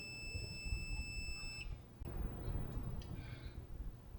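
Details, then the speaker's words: 1963-64 GE T238B AM/FM radio during repair: multimeter continuity tester touched to the tuning capacitor rotor gives a steady high beep for about 1.5 s, then cuts out, showing a short that needed cleaning. "Not good. Not good. There, see how it went away? Yeah, it's got a short in it."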